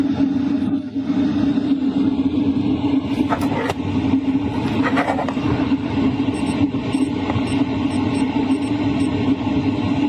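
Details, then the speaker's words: LF Bros diesel heater at max 5 kW setting, combustion at 99%, in a tent, sound mostly from air duct and outside exhaust: steady rushing airflow over constant low hum, stronger than lower settings; normal full-power operation. "That's the max power. You can definitely hear the airflow pick up. It's a lot stronger. The combustion power is also at 99%."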